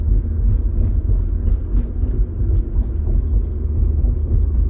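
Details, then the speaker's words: 1997 Mercedes W202 C280, 78,000 miles, first drive after transmission filter and fluid change, in sport mode, gentle acceleration: even drivetrain rumble, upshift into fifth with no clunk or flare; shifts previously a bit delayed or snappy; smooth automatic upshifts. "and there went fifth that was nice nice and smooth yeah wow that's definitely uh it's definitely better"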